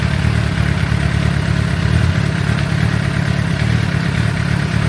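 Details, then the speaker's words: 2006 Suzuki GSX-R750, over 5,000 km since last service, warming up before oil change, oil at 48 °C heading to 60: low, steady burble at constant idle, no ticking or knocking; engine idling healthily. "But yeah, as you can hear, the engine is running pretty good. No ticking noises, no ticking time bombs."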